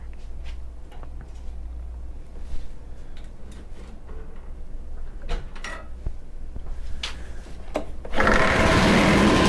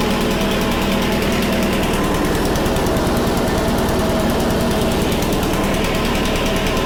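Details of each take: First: Honda HRC216 lawn mower, older unit, idling after starting: light rattling ticks about four a second, then a loud rough whirr as the blade clutch engages; the clutch works but is noisy and worn. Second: Honda HRC216 commercial mower, first start after drying out and cleaning the carburetor, running on choke in cold weather; a loud, steady, fast single-cylinder chatter without stumbling, normal running (throttle cable not yet working).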